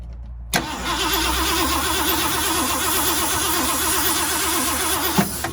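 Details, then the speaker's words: 1979 Ford F350 400M small block V8, key off, cranking only with good compression: airy whistle rising and falling each stroke, stopped by hand over manifold gasket; blown exhaust manifold gaskets, exhaust plugged on this side. "I can stop the noise. So we got some blown manifold gaskets, which means that exhaust is also plugged on this side."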